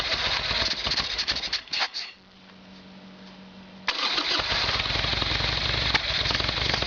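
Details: Harley Evolution Sportster with a carburetor problem, test-started after carb work with a see-through fuel line: the starter churns, then the V-twin catches and settles into a steady, even loping idle, about four beats a second. Normal start.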